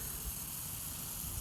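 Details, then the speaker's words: Lawn irrigation after replacing a 1" inline Rain Bird valve and installing 4" Rain Bird 1800 pop-ups that previously wouldn't pop up from low pressure: steady even spray hiss, no sputter or surging, normal operation. "you could even hear the sound of the water going through so yep that is the sound of a job well done"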